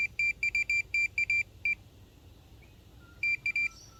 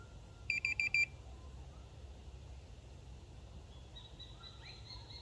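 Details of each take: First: Minelab Pro-Find pinpointer passed over small metal pieces: bursts of sharp high beeps about three per second; detector responding normally. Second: Minelab Pro-Find pinpointer on maximum sensitivity testing a pin tip: quick string of high, sharp beeps then single chirps seconds apart; detects the tiny target only when right next to it.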